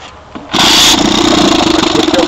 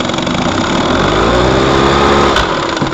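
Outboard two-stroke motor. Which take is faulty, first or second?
second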